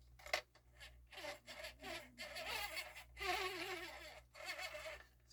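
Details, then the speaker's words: Marantz CD-63 MkII CD player with a stuck disc drawer, Philips transport; tray motor runs in short bursts with a harsh buzzing whir from meshing plastic gear teeth, belt okay. "noisy gear it's just the sound of the teeth of the gear touching each other but veryy horrible"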